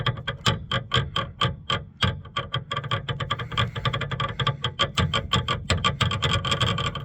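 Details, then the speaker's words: Land Rover Freelander 2 after an off-road day; rapid sharp clacks, four to five a second, as the driveshaft pops in and out when moved, from worn or shattered splines. The owner fears the rear diff splines are damaged too. "And lo and behold, when he moved the drive shaft, you can hear it popping in and out, in and out. >> It doesn't sound pretty at all."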